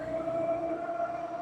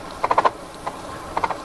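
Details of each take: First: Mokwheel Obsidian ST e-bike cruising after lubricating the front hub: smooth, steady mid-pitched hum with no squeal or grinding; the earlier front-hub whine is fixed. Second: Mokwheel Obsidian ST step-through fat-tire e-bike (750W rear hub motor) riding after a 25 mph brake test: sharp plastic clatters in uneven bursts from a loose rear fender.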